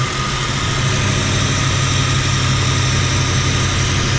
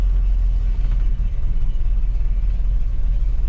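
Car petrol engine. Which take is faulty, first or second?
first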